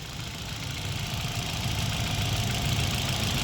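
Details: Hyundai i20 petrol engine idling unevenly with an irregularly stumbling thrum and jerking, with the malfunction light on. Scanner codes: P0300 random multiple cylinder misfire and cylinder 3 misfire.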